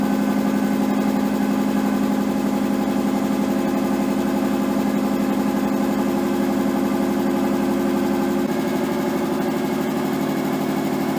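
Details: Nissan 240SX S13 with swapped RB20DET, first start after over a year sitting, once power was fed to the wire down by the ECU: smooth, even hum at a fast warm idle, dipping once. Idle is way too high; idle and AFR still unset, possibly burning a little oil.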